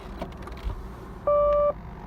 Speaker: parking brake is on parking brake is on